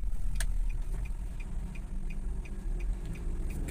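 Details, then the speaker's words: Nissan Grand Livina cabin at over 60 km/h; a deep, steady drone, confirmed as coming from the tyres rather than the bearings. The tyres are cupped ("keriting") as an effect of the shock absorbers. Tyre hum from cupped tyres. "ini kita sudah pastikan bahwa suaranya itu bukan dari bearing melainkan dari ban ini bannya udah keriting efek dari shock breakernya ya"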